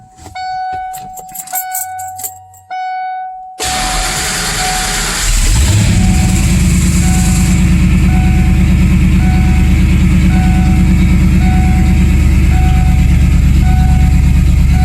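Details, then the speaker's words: Fox-body Mustang V8 on the stock engine of unknown history, trickle-charged cold start: loud steady idle, firing on all eight, with a high squeal over the exhaust from a bad alternator that doesn't charge. "I got it charging, trickle charging, because the alternator doesn't charge, and I think you'll hear the alternator squealing anyway."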